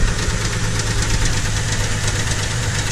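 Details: 2007 Chevrolet TrailBlazer, new belt fitted but noise remains: heavy low thumping knock through a rough shaking idle, not idler pulley or belt tensioner, seems internal; engine knocking at idle, left for mechanic, cause unconfirmed.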